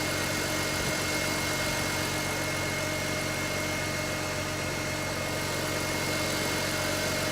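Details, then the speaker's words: BMW X3 E83 after oil leak repairs: steady, even idle with a faint whine from belt-driven ancillaries and no ticks or knocks; engine sounds healthy. "Runs good, sounds good. Everything's hooked up."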